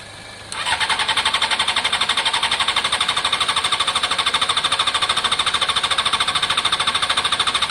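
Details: Honda CBR600 F4i non-runner after injector cleaning and fresh fuel: starter cranks fast, about 200 beats a minute for seven seconds, never fires; fuel pump not heard priming, cause suspected, not confirmed.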